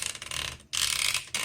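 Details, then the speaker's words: 1963 Olympia SM7 manual typewriter: turning the platen knob gives quick bursts of crisp, fast ticking with pauses between turns, the line-spacing ratchet clicking normally as it should. "Okay, let me go back and explain this. So when you turn your handle, you should hear the click."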